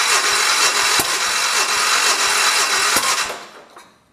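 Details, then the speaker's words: 1973 112 tractor with new points, coil and condenser, points set per book; starter turns it over steadily about three beats a second but it never catches; crank no-start from ignition points out of adjustment, readjusted afterward. "alright so I just to the points a little bit let's go on ahead and try it again"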